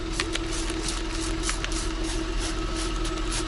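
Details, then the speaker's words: 2009 Lincoln MKS after a large rust hole in the exhaust was sealed with high-heat epoxy putty: a smooth, even idle with a steady hum and no puffing, ticking or hissing. A soapy-water test shows no bubbles; the exhaust leak is fixed. "as you can see there are no bubbles no air and it's quiet that's because we sealed that giant hole that was a large rust hole"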